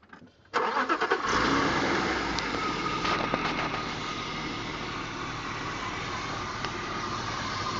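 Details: BMW 325i E36: engine settles to idle with a faint hissing, sucking air-intake noise; a vibration noise is also reported around 3000 rpm; the source is not pinned down.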